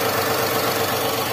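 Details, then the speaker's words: Daihatsu Xenia 1.0 VVT-i at operating temperature: steady, even idle, then revs drop straight back to 900 rpm after a blip, no knocks or surging; normal warm idle. "sama kitatinggal nunggu sendiri ini kita boleh blayer kita lihat Seperti apa yo langsung turun nah yo langsung turun 900 lagi"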